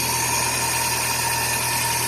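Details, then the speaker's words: Chevrolet Corsa Classic at idle: steady, even hum with a faint constant whine and no knocks or rattles. The earlier engine noise is gone, the battery light is off and the alternator charges about 13.7 V. "o barulho que tava fazendo antes já não tá fazendo mais tá vendo ó"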